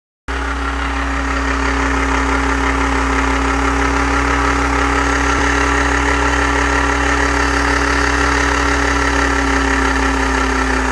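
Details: Volkswagen AP 1.8 engine at idle: fast, slightly uneven tapping layered over the low hum; owner asks what the noise could be, source unknown.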